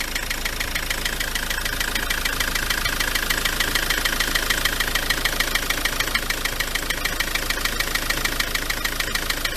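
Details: Ford Transit MK7 2.4 RWD diesel van at idle: sharp even tapping about three per second in time with the engine; pulleys fine; cable tie on an injector connector noted; owner suspects the dual mass flywheel, unconfirmed.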